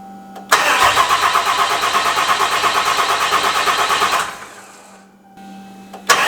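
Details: Diesel engine first fire-up after installing head studs, valve springs and pushrods, with a new tune flashed, coolant low and the airbox disconnected: brief crank, catches and settles into a steady loud clatter, then shuts down. A normal, clean start.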